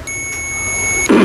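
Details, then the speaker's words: Continuity tester buzzer with probes touched directly together while checking Philips rice cooker parts: one steady high beep about a second long, confirming tester works. "Tapi kalau kita langsungkan begini, nah bunyi ini ya."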